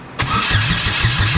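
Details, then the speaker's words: Exocet with a GM Ecotec swap (replacing a Miata engine), first start attempt: the starter cranks at a steady beat but it never fires; spark plugs suspected not tightened, spark and fuel rail pressure to be checked. "so it's looking like uh spark plugs may not have been tightened we're gonna double check that now and check for spark"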